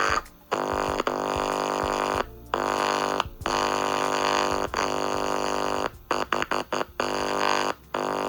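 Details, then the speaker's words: Tape recorder or VCR audio playback, likely the RCA bed-type tape recorder: music repeatedly drops to near silence for fractions of a second and returns; sound returns briefly when a point is shorted; owner suspects a faulty capacitor. "இப்ப பாத்தீங்கன்னா sound cut ஆயிடுச்சு நம்ம வந்து இத பாத்தீங்களா இது short பண்ணும்போது sound வருது கொஞ்ச நேரம் இருக்கு அதுக்கப்புறம் போயம்."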